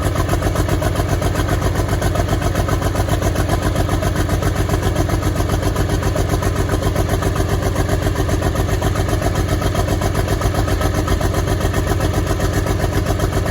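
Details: Track Marshall 90 diesel, first start, cracked engine block: loping, uneven idle with two to three stumbles a second; engine misfire.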